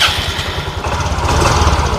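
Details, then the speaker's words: Yamaha Fino fuel-injected scooter with the body removed, which stutters around mid rpm. On a sudden throttle snap the engine bogs and sputters unevenly instead of picking up: hesitation on sudden throttle. The spark plug cap is being checked for corrosion. "Saat digas spontan mendadak dia seperti masuk angin ya. Nah, seperti ini."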